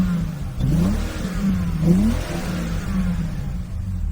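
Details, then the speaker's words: BMW E46 330Ci manual convertible: uneven, lumpy running with stumbling beats and surging pulses; badly misfiring, suspected cause a slit-cut part creating a vacuum leak. "it's really misfiring badly. And I think I might know why."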